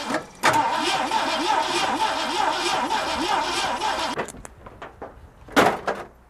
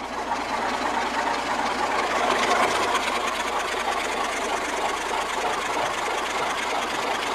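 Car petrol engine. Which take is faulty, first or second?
first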